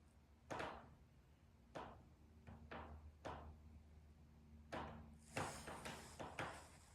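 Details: Steel riveted patio sunroom in direct afternoon sun around 3:50 pm: sharp, irregular pops and thunks, about eight in seven seconds, as the steel panels and rivets heat and expand, a thermal expansion noise.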